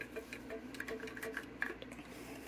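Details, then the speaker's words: Early Nitty Gritty 1.0 vinyl record cleaning machine, serial 20361, shaken after something broke loose inside: light irregular clicks and ticks from a broken piece rattling in the glued vacuum motor housing; motor locked up briefly, otherwise runs. "you can tell when the motor gets locked up something happened um so i unplugged it right away turned it off and unplug it um it's running fine apart from that but i'm gonna have to figure out what that is in there"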